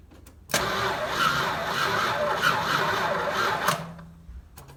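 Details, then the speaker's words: 1970 Chrysler Imperial, 440 big block, parked since 1993, after new ignition parts and fed from a gas can; slow labouring crank about 2.5 beats per second for three seconds without firing; weak starter, to be replaced. "tried starting this it makes a little bit of a noise"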